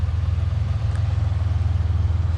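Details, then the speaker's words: Ford Bronco II 2.9 V6, previously hunting at idle, now fully warm: even, low pulsing idle holding steady at about the correct speed with no dips or stumbles; normal warm idle. "it's dropped actually right around where it's supposed to be I feel like and it hasn't done that funky little idle thing yet"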